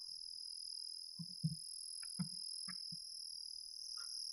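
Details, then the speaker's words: 2006 Dodge Stratus A/C blower motor behind the glove compartment, squealing at any fan speed: a thin, steady high-pitched squeal over a quiet fan hum. The blower motor is failing and needs replacement. "you can hear that is the high-pitched noise that was talking about this means that the motor is gone bad"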